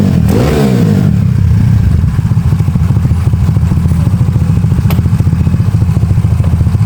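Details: Honda Beat carburetor scooter bored up to 130cc, 2+ years of daily use, with racing exhaust, raised compression, new cam and piston, KW PE26 carb; crisp even beat revving then settling to smooth idle, no knocks or rattles, engine runs cool; normal, healthy.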